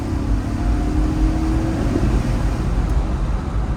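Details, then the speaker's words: 2005 Range Rover L322 with BMW V8, 171k miles, recent maintenance, pulling in high range around the block: deep growl rises in pitch under load, then eases into road rumble; a normal, healthy V8 note. "And I don't know if you can hear it, but it's got a good little growl, and most of them do. It's not just this truck."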